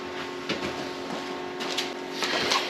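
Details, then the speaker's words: John Deere 425 with new battery (old one dropped to 4 V on cranking): a few dry scattered clicks with no cranking. Only about 8 V reaching the starter solenoid excite wire; fix is a hard-start relay kit. "and only getting about 8 volts to the solenoid so I think we'll let's go ahead and put a hard start kit on this"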